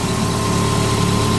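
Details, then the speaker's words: 2006 Dodge Stratus idling just after first start following water pump replacement, power steering and coolant still to top up: steady, even low hum, no knocks or misses; sounds healthy. "sounds good running"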